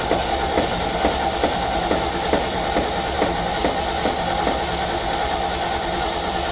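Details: Ford F750 haul truck, stock engine, possibly old bad gas, choke linkage stuck; starter turns engine evenly about two turns a second but it never catches; cranking no-start from fuel starvation.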